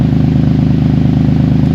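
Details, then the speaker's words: 2014–2017 Infiniti Q70L 3.7L V6 idling after a tune-up, with a rapid, even puffing tick over its low drone from an exhaust leak; the customer is to be told. "I think it was pretty self-explanatory, and I know you can hear a nice exhaust leak. I'm gonna let the customer know about that."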